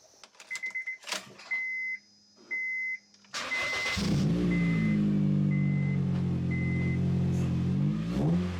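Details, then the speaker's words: 2007 Honda Fit GD3 after a stiffer Innovative passenger-side engine mount was installed: ticking beeps, then the engine catches to an even idle and revs smoothly with no abnormal vibration or rocking. Normal running and revving. "vibration Everything feels normal uh rev smooth dent feel like it's walking back and forth or anything like that"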